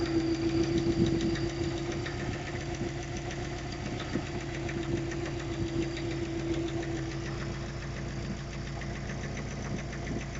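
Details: Subaru Forester SF5 EJ205, nearly warm, idling before repair: light steady knock of three to four beats per second from the pulley side, rough running after hard 0-150 km/h acceleration; owner suspects the timing belt hydraulic tensioner.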